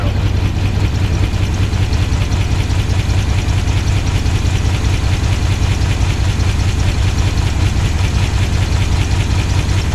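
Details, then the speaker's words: 1969 Chevelle wagon retired race car V8, just running after fuel pump install: steady ticking about two per second over lumpy uneven idle; noisy valves and rough idle, possible dead-cylinder misfire suspected. "I don't like how noisy the valves are on this thing. Sounds like he's got a misfire dead hole. But there's a horn moving there though. The idle is just not happy."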